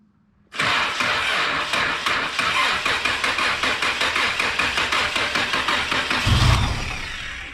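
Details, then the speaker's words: Old automatic car started after sitting almost 12 years, with a replaced gas tank and temporary windshield-washer-line fuel hose, one hose unclamped and leaking. It catches immediately after a short crank and holds a lumpy, busy fast idle before shutoff: first start after long storage. "wow did you hear that thing boy she sounded good"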